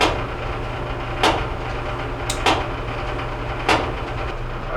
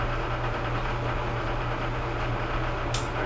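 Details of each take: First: Whirlpool Duet steam dryer WED94HEXW1 tumbling with the side panel removed: a heavy thump about every 1.2 seconds, once per turn, over the drum rumble. The drum is bowed and egg-shaped and rubs the right side panel; the drum needs replacing. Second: Whirlpool Duet steam dryer WED94HEXW1 after replacing the drum with seals: a steady low hum with an even, quiet tumble. The earlier rubbing of the drum against the right side panel is gone.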